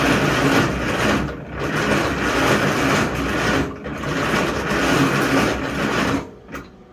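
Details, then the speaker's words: 1956 Farmall International 300 Utility first start attempt: long uneven cranking bursts with a puff of smoke but no start, choke closed. Adjusting the fuel did nothing; the owner suspects the carburetor. Cause not confirmed. "Got a better puff of smoke out than I did last time."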